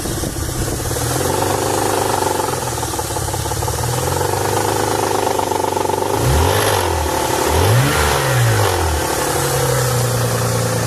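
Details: 1992 Nissan 300ZX non-turbo petrol V6 idling and revved twice: heavy, fairly regular knock under the engine note that started suddenly.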